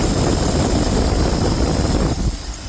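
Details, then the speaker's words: Ford F350 dump truck, carbureted, idling after first start with new belts, running slightly rich: thin steady high squeal over the low idle rumble; owner unsure of the cause, plans to tighten the alternator belt. "I still don't know what that is. I've never experienced that before, so I think I'm gonna have to tighten this alternator belt a bit."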